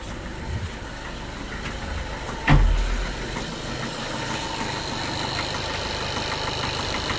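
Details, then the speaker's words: Skoda Octavia A7 2013 1.6 TDI, 188,000 km, cold start at 21 degrees. Dull, uneven diesel clatter at idle with one heavy thump; the knock disappears once the engine warms up. "Після прогріву машинка починає робити нормально, ніяких проблем. Поки холодно, стукаємо."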